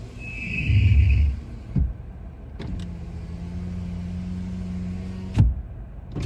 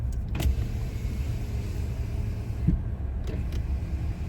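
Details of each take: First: 2025 Toyota Tacoma after overnight 26°F hard freeze, cold start: driver's-side power window lowering gives a steady low motor drone with faint strained groan for about three seconds; passenger side fine; owner wonders if it needs warming up; cause undetermined. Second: 2025 Toyota Tacoma passenger window after a 26°F overnight hard freeze, cold start: low, smooth motor hum as the glass travels over idle, no grinding or squeal; window operating normally.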